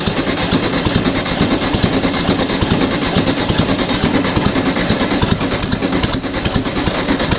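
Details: Dune buggy engine with no exhaust, after a plugged fuel line was cleared and a loose coil wire refitted: an uneven, sputtering beat that stumbles before catching and running on its own; the owner suspects too much fuel and incomplete firing.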